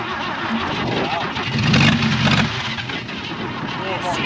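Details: 1966 Chevy Biscayne straight six sitting 20 years, first start with only 12 V to the coil, choke on, gas pumped: strong fast starter cranks, engine sputters and coughs unevenly before catching; hard start after long storage.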